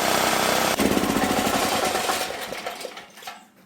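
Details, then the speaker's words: Previously seized auction generator, after an easy restart: small single-cylinder engine runs with a steady, even putter and no knock or scrape, then winds down smoothly at shutdown. Normal running. "Completely seized up motor, and now it's running pretty dang good."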